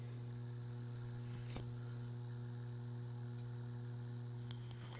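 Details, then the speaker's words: Restored 1978-dated reel motor from a Pioneer CT-F1250 cassette deck, run in until settled, microphone close: low steady hum with no ticks, scraping or flutter; quiet and strong after the rework. "okay we had some time to run for a little bit and it has settled in and it is dead silent"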